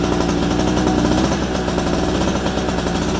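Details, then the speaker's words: Harbor Freight 800 W two-stroke portable generator, pull-started and running on choke; fast buzzy drone steady and even with no misses or knocks, normal warm-up idle. "So let it run for about a minute, kind of warm itself up or two, and then we'll plug in the extension cord."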